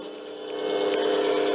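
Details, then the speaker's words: Restored 6x9 belt/disc sander-linisher with a DC treadmill motor on an SCR controller, power on and potentiometer turned: the motor winds up to a steady, clean hum holding pitch with no rubbing or grinding. A healthy motor. "hit the power turn the potentiometer and you can hear the motor kick up"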